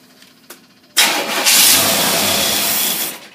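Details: Tri-power Corvette engine running on a Holley two-barrel carburetor under test, carb already leaking: catches after a short crank and runs rough with a loud hissy uneven note; big air leak at the back suspected, not confirmed.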